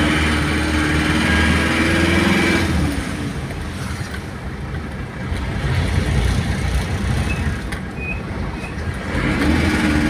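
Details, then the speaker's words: Isuzu Panther diesel just bought from a showroom, metallic knock when revved above 2000 rpm or from idle, persisting after valve adjustment; revs rise and fall with a metallic knock near four per second, piston-to-head contact knock. "analisa kita berdasarkan pengalaman yang sudah-sudah ini sejenis suara metal ya"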